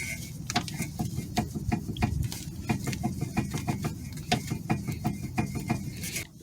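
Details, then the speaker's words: Toyota Sienna front end: sharp metallic clanks, about three a second, as the tie rod is rocked; loose play inside the steering rack, not the inner tie rod, so the rack is being replaced. "it has a lot of play inside there so that's why I'm replacing [Music] it"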